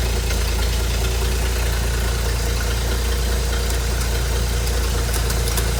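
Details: Ford inline six (possibly a 265) in a Hobart APU cart, sat 8+ years, running after a new battery and fuel line hookup; steady low drone, even beat, no knocks or misses.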